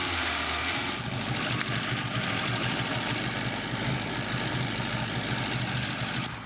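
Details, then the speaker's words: Vintage Coca-Cola delivery truck abandoned 40 years, first start after distributor adjustment and fuel fed into carburetor: engine holds a steady, even idle on its own with no misses or knocks; normal idle. "Yes, there we go. That sounded way healthier. The engine's finally starting to respond properly."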